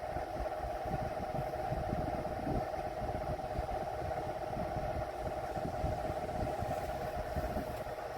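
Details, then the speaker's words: Vornado Silver Swan Alchemy desk fan, curbside find, on low speed: steady fairly loud mid-pitched drone with no rhythm, louder than 1920s General Electric fans, while barely moving air; cause not determined. "And I do not even think that the General Electrics from like the 1920s are this loud on low speed."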